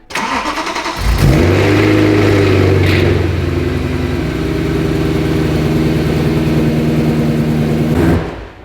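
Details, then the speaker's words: BMW E92 M3 first start after oil pan gasket work, exhaust valves open: cranks, fires, flares, loud even fast idle without knock; one small noise possibly from clutch release. "There was a little noise, but it may have just been when from when he released the clutch."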